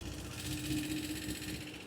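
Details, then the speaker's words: SYM Symphony scooter engine idling with a light, fast top-end ticking heard up close; valve tappet noise from excessive valve clearance, not a sign the engine needs a rebuild. "تعالى قرب بص كده الصوت ده صوت التاكيهات"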